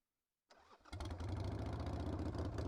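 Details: Harley-Davidson Sportster V-twin after a fuel starvation no-start, carburetor float needle stuck closed and freed roadside with the bowl off: brief cranking, then it catches and settles into an even, lumpy idle with no fuel drips.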